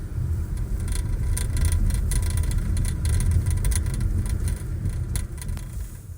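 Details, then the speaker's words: Küat Piston SR roof bike rack heard inside moving car, sunroof open: irregular metal-on-metal rattle about three per second over road and wind rumble from loose-fitting latch, worsening over the last month. "then it's quite likely that you like me are experiencing a loose fitting lat that is causing a constant metal metal rattling noise this noise wasn't noticeable when I first started using the rack but in the last month or so it has gotten progressively louder"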